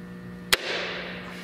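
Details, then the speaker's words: Mercedes CL63 AMG M156 V8 turned by hand during head bolt and cam adjuster replacement: quiet hum, then one sharp clack as the cam flops over; this cam adjuster is bad. "so that definitely tells me that this cam adjuster is bad"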